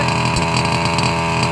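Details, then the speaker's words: Losi 5IVE-B fifth-scale two-stroke buggy up on tires, fuel almost gone, heard close to the exhaust at steady high idle: popping note with little crispness; lean running as the tank runs nearly dry. "So you can hear right now, if you listen to the motor, if I actually come back by the exhaust, more by the exhaust here, you can hear how it's got that pop to it,"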